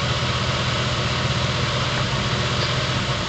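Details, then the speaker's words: Low idle rumble with an uneven, lumpy beat and occasional stumbles; a coil pack that passes a standard spark tester shows ringing noise on its waveform, and the engine stumbles each time. Misfire from faulty ignition coil. "as you can see uh the spark is firing but there's all this noise in here and I think they call it ringing and every time the coil pack puts out that junk my engine stumbles"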